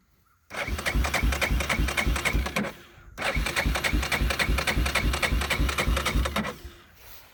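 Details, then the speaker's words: 1999 Yamaha Big Bear 350 ATV, cold start on choke: two bursts of rapid cranking, about three or four turns a second, that never catch and run; hard cold start. "it's probably going to be a hard start. I guess the battery's still charged up on it."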